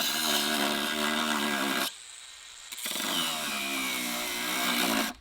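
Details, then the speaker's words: Bosch GWS 180-LI brushless cordless angle grinder cutting steel on a 4Ah ProCORE battery: high shrill cutting whine cuts out and restarts, then its pitch sags and dies as the battery goes flat after about 13 minutes, indicator flashing. "If you listen carefully, you'll hear the loss in power just before the battery runs"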